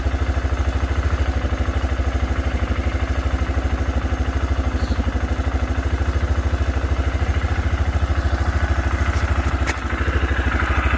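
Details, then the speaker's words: 2006 Arctic Cat 400 4x4 quad just started with a shot of brake cleaner after cranking without catching; steady even single-cylinder idle putter, no misses or knocking, normal idle; owner suspects something dirty stopped it pulling fuel. "right, awesome. It literally started up with a little shot of ether."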